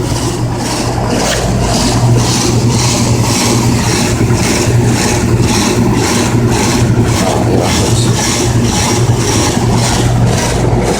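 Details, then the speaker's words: Older Goodman CKL series heat pump condenser with Tecumseh compressor, dirty and sweating: heavy low hum throbbing about twice a second over fan rush, vibration felt through concrete; excessive vibration, cause not pinned down. "can feel the vibration in my knee here, kneeling on the concrete."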